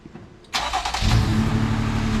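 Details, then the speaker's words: 2020 Jeep Gladiator at start-up: brief cranking, then a choppy, uneven idle with a raw fuel smell and a flashing check engine light. "it takes a minute like yeah i mean you can hear it it's a little choppy now"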